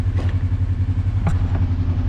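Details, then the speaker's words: Kawasaki KRX 1000 after rotating the throttle position sensor to fix high idle: steady even low idle with smooth pulse and a couple of light clicks; idle right where it should be, shifting perfect again, normal idle. "Now we're going to go ahead and tighten it back up. Idle is right where it should be."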